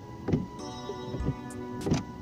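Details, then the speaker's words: Renault Megane 2 windshield wiper on dry glass after bending the arms to correct blade angle: soft swishing strokes, faint rub, no squeal or chatter; squeak gone. "Короче, шум пропал, все, вот, как хотите."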